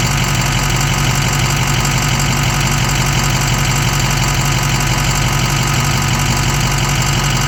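An idling engine with a light, fairly regular ticking of about three per second over a steady low hum.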